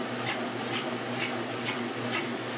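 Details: 1996 Maytag Dependable Care Plus washer on delicate cycle with a fleece blanket: sharp rhythmic squeak or knock about twice a second during a slow spin, well below full speed; the heavy blanket throws the tub off balance and it shakes violently.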